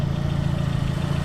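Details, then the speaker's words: 2006 Chevy Aveo idling with the battery cable removed so it runs on alternator power alone: low, even idle pulse with no stumble or sag, showing the alternator works. "now the car is running off just the alternator power, no battery at all. Now if the car was running off the battery because the alternator wasn't working, then this car would have stalled and it would have died out."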